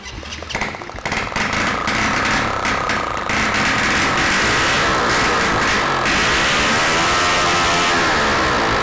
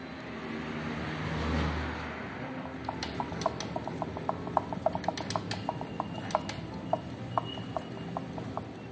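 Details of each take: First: Honda Biz 100 freshly rebuilt engine, first test run on contact cleaner, no carburettor fitted and no exhaust: very loud, raw open-port bark climbing smoothly with revs, firing evenly with no knock; engine works perfectly. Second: Honda Biz 100 motorcycle engine opened, crankshaft rocked by hand: sharp metallic clicks about three a second; suspected piston and connecting rod play.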